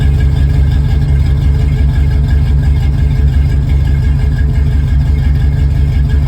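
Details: 1969 Ford F350 V8 with freshly installed long-tube headers, open headers and no mufflers, at idle: a loud, deep, lumpy rumble with steady heavy low pulses. Runs fine.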